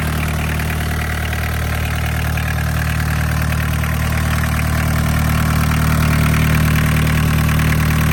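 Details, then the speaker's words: Barn-find VW Caddy pickup, mechanical diesel, 154,000 miles, off the road over 20 years, after first start: smooth, even diesel clatter at a steady low beat with no misses or knocks; idling cleanly and healthy. "And this is why you need a mechanical diesel engine. Absolutely right. This is what we just said. Mechanical diesel engine."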